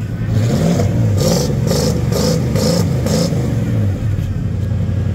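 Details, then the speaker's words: Marketplace engine just fired up after sputtering and smoking, cold, no oil pressure yet: revs blipped up and down with slightly ragged, uneven beat, firing on most cylinders; condensation-smelling smoke, owner suspects possible head gasket, unconfirmed. "running nice it actually sounds like it's firing on most of the cylinders though"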